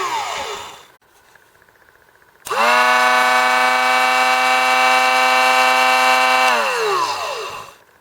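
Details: Drill Doctor XPK drill bit sharpener run empty, first test: motor spins up to clean steady whine, holds even pitch four seconds, winds down smoothly; healthy.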